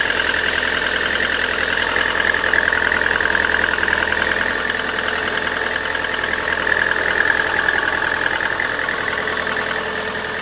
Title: Стук двигателя Vesta NG 8кл.